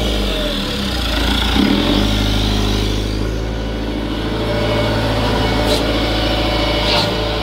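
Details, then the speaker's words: Tracked machine with hydraulic leaks and a non-working right track, engine started up: steady low diesel idle with an even unbroken rumble, no knocks or misses; engine sounds good, normal idle. "all right the mortar sounds good"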